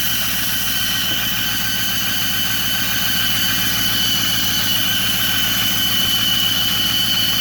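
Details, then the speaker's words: 2008 Ford F-350 Super Duty 6.4 diesel at idle: steady high whistle with a quick rhythmic ticking pulse; noise goes away when the turbo actuator is pushed, but the mechanic identifies an exhaust manifold leak. "pero el problema que tengo aquí en los espacios del estados manipule ese es el problema"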